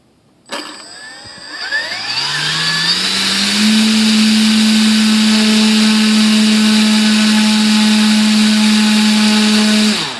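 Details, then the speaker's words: Volantex/Lanyu ASW-28 V2 sailplane with a replacement ESC, bench test after reseating it about half a millimetre. Smooth steady high whine with a clean shutoff; maximum current 26.44 A, judged reasonable. Healthy. "26.4 four amps of maximum current and that's reasonable"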